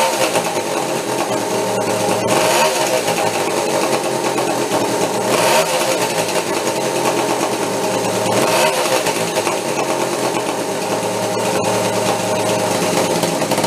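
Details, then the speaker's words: Homebuilt steampunk motorcycle on twin OCC chopper two-stroke engines, first start after years in storage, warming up: busy buzzy two-stroke rattle with throttle blips, both cylinders now firing steadily; normal running. "that's I it now it's on both of them there a little bit of heat in it"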